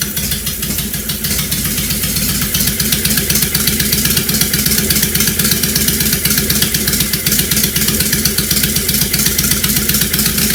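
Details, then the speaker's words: 2005 Honda VTX1300 running rough from fuel and vacuum problems, after capping the vacuum leaks, on an auxiliary fuel source: a loud V-twin holds a steady lumpy beat near four pulses a second, with no stumbles or gaps. "we're just going to see how it runs just like this to start with get an idea as loud as the son of a as I said so I don't want to run it too long from what the cops showing up"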